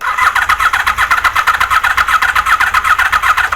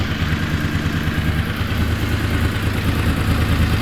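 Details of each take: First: Honda VFR750 on a low battery after sitting a long time, carbs primed and enricher off: quick, even starter churn that sags toward the end and never catches. The cylinder 1 and 3 coil trigger/power wires were swapped. Crank, no start. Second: Honda VFR750 V4 after carb work with 40 jets, restarted once carb bowls filled: revs up and settles cleanly, note climbing quickly and evenly without stumble, picking up quicker; normal revving.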